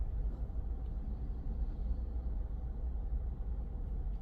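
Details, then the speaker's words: Car engine at idle after throttle body cleaning for hesitation/misfire with no check engine light or codes: low steady rumble with no stumbles or skips, no vibration felt in body or steering; normal idle. "Parang okay na mga katropa kanina hindi ganito solid na anan wala ng palang kasi Mararamdaman mo sa body saka dito sa steering kung meron yan gumaganyan"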